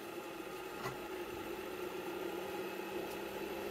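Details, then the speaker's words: ECM furnace draft inducer motor after replacing its noisy 608 ball bearing with a double-sealed one (slip fit on shaft): quiet, smooth steady hum with no rumble or chatter; normal running after repair. "let's see what the new bearing sounds like oh that's pretty quiet"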